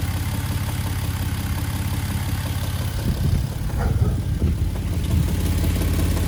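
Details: 2011 Jeep Wrangler JKU petrol V6 idling with a low, dull rhythmic clunk about twice a second, new after an oil change; owner unsure if engine-related or a worsening exhaust leak.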